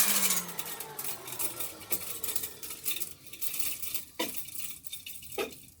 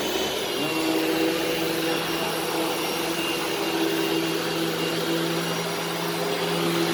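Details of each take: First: Used Hoover vacuum, needs new brush roll, no clogs found: motor whirs with sharp irregular clinks and rattles like loose junk thrown around the fan housing; debris rattling in the motor fan, needs stripping and cleaning. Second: Upright vacuum running in carpet mode; steady, even motor hum with constant pitch and smooth airflow rush, running normally.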